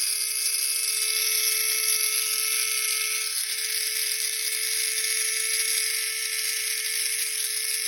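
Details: Tamiya Mini 4WD MS chassis: high steady motor whine with constant mid-pitched tone and fine gritty buzz on top; gear noise from incorrectly positioned, poorly meshed gears.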